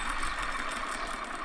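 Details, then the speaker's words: Corsa D VXR front hub, removed and spun by hand. Steady gritty rushing hiss, rough dry running. Front wheel bearing badly worn, hub replaced. "if you can hear that i honestly didn't realize it was that bad so yeah if you're bearing sound if you your hub sounds like when you spin it your bearing is absolutely knackered"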